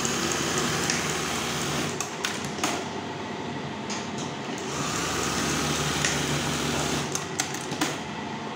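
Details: Brother 814 buttonhole machine, oiled and with cloth placed on it to test its sound: steady, even mechanical clatter at a constant rate, no knocks or grinding; running normally.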